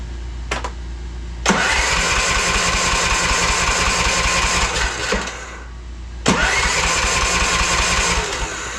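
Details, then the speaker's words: Craftsman R-1000 30-inch rear-engine riding mower, just started after a valve cover reseal and spark plug refit, needing a little choke: two crank-and-catch starts, then a rough busy run with a steady light knock; occasional smoking, owner suspects valve guide; knocking cause unconfirmed. "does need a little choke not terrible have that knocking sound"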